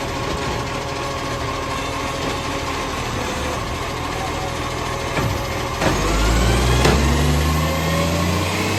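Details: Diesel green waste truck: a rapid puffing tick about four times a second at idle, sharpening as the engine revs. Likely an exhaust leak.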